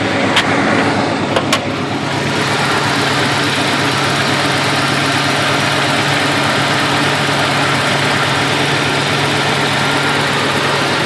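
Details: Ford Ranger 2.9 startup: a few cranking bursts then catches, steady low idle slightly uneven, smoky exhaust smelling of antifreeze, temperature gauge running higher than usual; hard start and rough idle, cause unknown.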